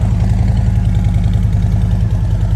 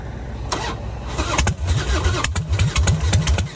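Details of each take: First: Damaged motorcycle at Copart auction with broken forks and front-end damage, idling: deep, even low-pitched idle with steady lumpy beat, no knocks or rattles, not too loud or quiet; engine sounds healthy, normal idle. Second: Damaged motorcycle at Copart auction with full fuel tank, in neutral, battery possibly weak: starter churns in uneven bursts about two a second with firing pops, has compression but never fully fires; crank no start.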